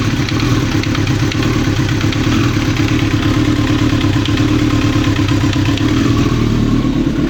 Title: 95 zx9r engine knock